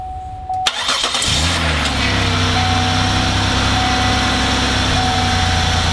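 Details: 2004 Buick LeSabre after fixing a click-no-start by cleaning and tightening a loose, oily ground cable on the engine block: chime, short crank, engine catches in about a second and settles to a smooth, steady idle.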